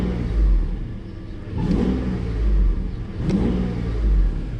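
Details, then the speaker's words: Mercedes S600 test car on a cold start, used to test a repaired SL600 throttle body (Egas). Blips rise and settle back smoothly with a deep, even note and no misses. Normal revving, healthy throttle response, idle speed being checked. "So as you can see, they make nice healthy sound, and biggest thing now is the actual idle speed."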